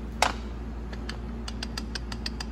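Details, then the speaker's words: E4OD/4R100 transmission pump with used pump gears turning, light, slightly uneven clicking several times a second from excess gear clearance versus about 0.002 in on new gears; this loses pump volume at low rpm, so new gears are fitted. "can hear that clicking. There's a lot more clearance in there, and you lose pump volume at low RPM."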